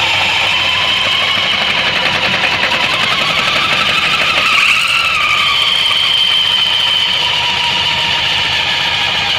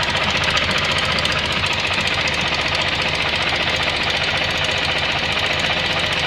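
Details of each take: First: Suzuki Burgman 650 variator with sheaves brought together: steady engine drone, even belt whir and high whine, no ticking; whistle gone and secondary shaft turning normally. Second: Suzuki Burgman 650 CVT: fast uneven clicking about four a second over variator hiss; mechanic suspects the belt's metal links hitting the shaft, and clicks stop when the sheaves are pressed slightly.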